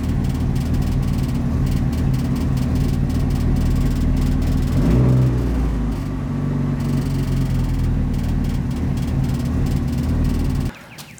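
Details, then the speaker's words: Fully built Mitsubishi Evo 9 engine in its break-in period, around its first oil change, freshly tuned. A low, steady idle hum with one brief rev rise, then it settles and shuts off; the engine sounds smooth and even. "I can just go in there turn the key and it just fires up and it idles nice"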